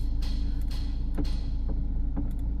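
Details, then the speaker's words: Car with electronic power steering, stethoscope on the steering shaft after a CX5 motor gear swap: dull low knocks about twice a second over a low hum, clearest at the column; the steering shaft has play. "So dinig dun sa ano talaga, sa may steering shop. Ayan, dun mismo yung tunog, may play na yung ano niya dun."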